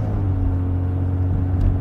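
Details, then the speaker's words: 1990 Jaguar XJ40 Sovereign while moving: deep, steady, coarse rumbling drone from exhaust gases escaping through a punctured exhaust; car becomes fairly quiet once at a constant speed. "pentru că la un moment dat are evacuarea punctată și de fapt ce auziți Aici este un zgomot de gaze de evacuare care scapă"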